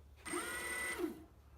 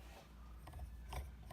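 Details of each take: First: Evolve ONE electric skateboard with the replacement motor installed and the belt tensioned: short bursts of smooth electric whine rising and falling with speed, no grinding or locking up; normal motor run. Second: Evolve ONE electric skateboard motor, failed after a couple of months of riding, turned by hand with the belt off: uneven ratchety clicks and gritty drag instead of a smooth spin; rough grinding motor rotation, motor being replaced.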